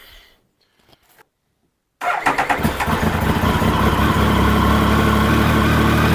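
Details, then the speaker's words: Triumph Sprint GT 1050 after service with fresh oil, new air filter and new GRmoto exhaust: brief crank, clean catch, steady even idle with throaty exhaust, no misfire; normal start and idle. "Just let it push the oil around before you start revving it. And Sounds all right. Exhaust sounds all right."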